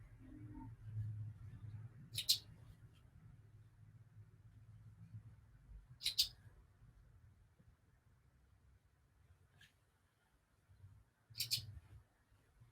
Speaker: even though it's tied into the mains um it still wants its battery change but it's actually physically impossible to remove it from the ceiling to fix that i have tried and yeah so occasionally there is a chirp i barely ever hear it anymore